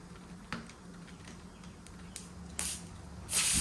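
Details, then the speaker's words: Tire punctured by a nail, nail head pulled out to locate the hole before plugging with a Slime kit: sharp hiss burst settling into strong steady rush of escaping air where the nail was; puncture air leak. "But this is definitely where it's freaking leaking from, bro."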